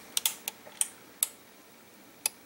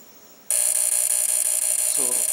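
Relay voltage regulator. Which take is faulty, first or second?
second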